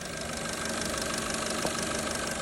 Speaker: Today, I will teach you how to judge engine failure by abnormal noise. The engine is making abnormal knocking noises.